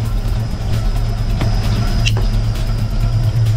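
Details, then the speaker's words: 1965 Mustang, roller 302 V8 with a rebuilt Holley 4010 carburetor, fully warmed up, idle mixture screws turned in from three or four turns out to two: deep, even, steady idle with no misses, and the blue smoke is gone. Normal warm idle. "you can see all that blue smoke is gone [Music] and it's idling right now that I've got those idle mixers turned way down"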